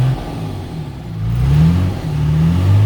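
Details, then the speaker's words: 2003 Sterling Schwarze A7000 sweeper, Cummins 5.9 L straight-six diesel, about 38,979 miles, revved after sitting almost two years; smooth rising rumble, no knocks; the oil pressure light clears on throttle, so oil is suspected low; alternator working, engine sounds good. "the alternator's working good the motor sounds really good"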